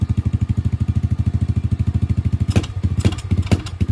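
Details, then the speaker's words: 125cc pit bike with a new 26 mm Nibbi carburettor, small jet changed to a 40, on a test ride: single-cylinder putter stumbles and pulses unevenly when the throttle opens. Bogging and seemingly short of fuel; the main jet is being changed next. "Ooh, it sounds like it's bogging a little bit. So I just changed the smaller jet to a 40. I'm about to unscrew the big one because it just sounds like it's not getting enough fuel."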